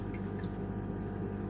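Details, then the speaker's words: Aquarium sump seam leak, before the Flex Tape repair: a soft, steady trickle with light drips and splashes over a low hum. "Yani şu ses, su sesi çıkıyor buradan. Bu rahatsız edici gerçekten."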